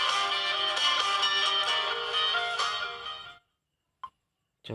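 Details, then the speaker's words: Redmi 4A after fitting a new IC: loud, clear music plays steadily from the loudspeaker with no distortion. It seems louder than the day before; output is healthy. "Suara dan getar. Sepertinya lebih kuat dari yang kemarin."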